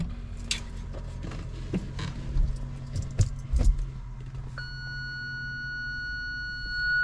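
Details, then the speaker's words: BMW E46 320ci coupe idling, reverse gear engaged: one long unbroken high beep from the Parktronic (PDC) system, showing a rear parking sensor fault before repair. "and after this long beep, it's not working. It's also not showing exactly what's really happening. Like, I cannot really understand from this long beep, but this definitely shows that I have some problem with the Parktronic system."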